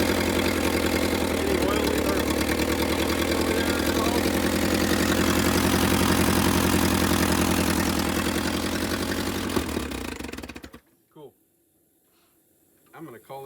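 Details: Willys CJ2A Jeep just revived, running briefly with no coolant flowing, distributor not yet clamped: steady low idle with slightly uneven beat for ten seconds, then dies; rough, likely because the idle adjustment is off.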